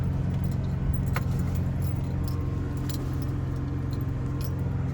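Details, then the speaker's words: 2000 Ford Ranger, 3.0L V6, idling high with no throttle input: a steady fast engine hum that revs up, then settles back down. Suspected sticking idle air control valve; fixed by cleaning the dirty mass air flow sensor, throttle body, and idle air control valve. "Alright, so my truck is idling super high. Just dropped a little bit. I lit up on the gas, it's just accelerating. You can hear it just revving."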